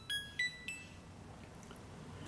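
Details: Midea HealthGuard Smart 13kg (MF200) washing machine powering up: three short rising electronic beeps in a quiet room, the normal switch-on chime.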